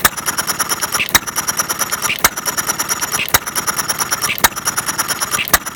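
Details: Half-scale Domestic side-shaft hit-and-miss model engine, 9-inch flywheels, make-brake ignition, gravity-fed fuel, set to run fairly slow in cold weather; slow sharp bang about once a second with light ticking, even and healthy.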